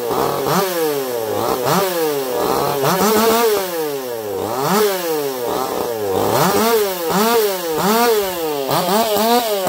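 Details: Echo CS-4910 chainsaw with taper-top piston/crank swap, ported for open crank, test cuts: hard revving bogging into each cut and screaming back, about six clean pulls, no stumble or rattle; runs a little warm, about 180 psi cold, 170 warm; healthy under cutting load.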